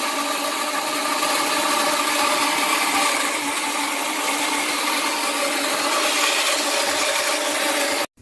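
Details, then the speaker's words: Newly installed Rheem Performance Plus electric water heater on flex hoses, filling before power is connected: steady hissing water rush, no rumble, stops when the tank is full; normal filling. "Okay, here's the sound it's going to make when it's filling. And when that sound goes away, that means it's full."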